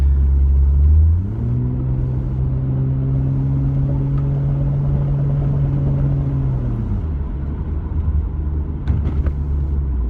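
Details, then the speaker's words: Toyota IS200/Altezza with VVTi 1JZ-GTE (about 235 rwkW), shift-kitted high-stall A341 automatic, stock 7.5-inch open diff with 4-bolt drive shafts: uneven knock from the rear under light throttle; owner suspects drive shaft CV joints or diff. "but it's making um some lovely noises that you would normally find in a front-wheel drive when you've got dry rooted CVS so I'll I'll try and gently Ease on the power and you can hear it"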